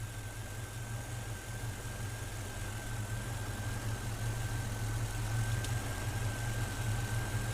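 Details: Engine with a newly installed throttle body injection system: throttle plates are slowly opened and idle rises to about 610 rpm toward a 650–700 rpm target; smooth, even drone with a faint whine and no misses or knocks.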